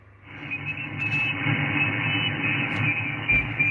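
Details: SDR receiver on an end-fed half-wave 40/80 m antenna: a constant rough hiss and rumble with the noise floor around S6–S7. Lines are traced partly to the power supply; the owner suspects the house behind.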